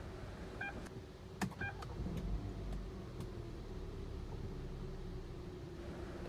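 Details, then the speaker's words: Hyundai Tucson petrol engine with push-start, which previously would not start even with a jump; after a new starter motor was fitted: two chimes and clicks, brief crank, then a steady even idle with no dashboard warning lights. "นี้ได้ทำการติดเครื่องยนต์เป็นที่เรียบร้อยแล้วนะครับที่หน้าปัดไม่มีไฟอะไรโชว์แต่อย่างใดนะครับ"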